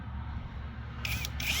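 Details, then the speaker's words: New cordless drill/driver boring pilot holes in a 1.5-inch board after switching from torque setting to drill mode: quiet, then two short bursts of high motor whine rising as the bit bites. Normal drilling. "Okay, so maybe it needs to be in the drill mode. Yeah, put it in that mode. Ah, there we go. That's cool. That's cool."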